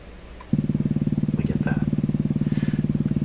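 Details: Canadian PYE Model 39HC radio: steady low putt-putt about 3.7 per second begins when volume is turned down; motorboating oscillation, owner suspects his own earlier component placement error, cause not found.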